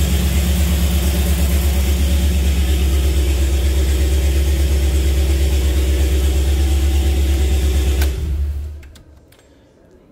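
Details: Jeep CJ5 with Holley EFI, engine before break-in: steady even low idle rumble, no knocks or ticks, then a clean shutoff; oil pressure 55–60 psi, no leaks.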